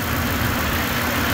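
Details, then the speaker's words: Ford F-150 after replacing water pump, pulleys, tensioner and belt for a bearing noise at start-up, heat on and warming to temperature: smooth, even idle with a steady low hum, no squeal, chirp or rattle; much quieter, normal idle. "so now we'll just let it run sounds much quieter doesn't"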